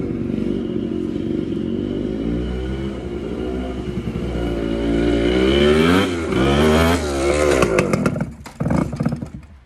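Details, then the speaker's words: TC125 two-stroke dirt bike after a carb clean, new fuel line with filter, and swapped spark plug. A crisp burble revs up cleanly and drops back to a steady idle with no misfire or bogging; normal running. "Pretty sure that's all she needed was a good old carb clean. She runs like a dream now."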